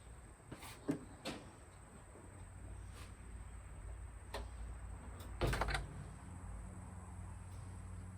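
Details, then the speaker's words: 1951 Hudson with a swapped LS 5.3 and an eBay harness, at first key-on with about five gallons in the tank: relay clicks, then a faint steady hum as the pump runs about three seconds to prime the fuel rails; normal. "yeah I heard the fuel pump kick on it did go now I gotta see if get it let it uh run long enough to charge the system"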